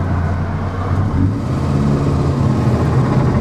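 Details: Morris Minor small four cruising in fourth under light throttle after ignition repair: smooth steady low drone, no misfire, stumble or threat to die, road noise underneath; normal running.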